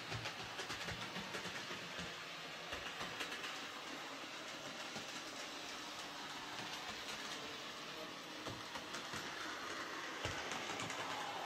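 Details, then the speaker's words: Hornby J36 model locomotive, previously screeching, after adding gear oil mixed with white grease to the worm gear: even whirr with light rail clicks and no screech; lubrication fixed it, runs quietly and smoothly. "so yeah that seems to fix the problem just uh the gears needed lubricating that was all"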